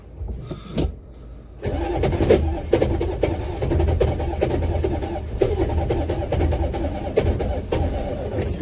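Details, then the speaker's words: Buick Electra 5.7 diesel, cold start, jumped from a Power Stroke on mismatched batteries, steady fairly quick cranking with no firing kicks; owner suspects starter solenoid; cranks but will not start. "definitely have the voltage we need now to crank it over uh did not hear the kicks i wanted to hear"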